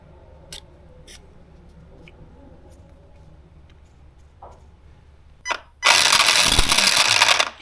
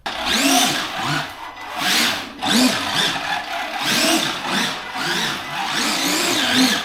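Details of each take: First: Arrma Gorgon RC truck, after a hard nose hit at a skatepark: light ticks, then a harsh rattling grind as the motor spins with the other gears removed. The pinion is skipping on the spur gear because the gear mesh is loose. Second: Arrma Gorgon RC truck after fixing gear noise from a hard nose hit and resetting gear mesh with slight wiggle: short throttle blips with clean rising and falling whine, no crunch or clicking; drive works again.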